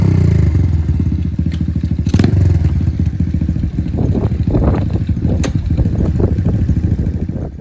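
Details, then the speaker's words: Pit Pro pit bike with a 90cc GPX engine, new Amazon carb replacing an oversized carb that ran too rich to run; idle and air-fuel set. Small single holds a quick, even idle with no misses; normal running. "Okay, so the Amazon carb is on. The idle's set. I drove around a little bit, set the air fuel. It's running and driving pretty good, actually."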